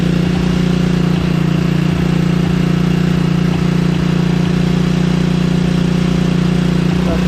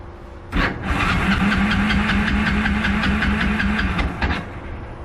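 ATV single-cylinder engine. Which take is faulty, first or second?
second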